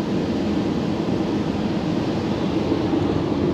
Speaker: ten hałas k o którym wam mówiłem wcześniej jest powodowany przez to że tylne nadkola w środku nie są wyciszone i ten hałas z kół które jadą po mokrym asfalcie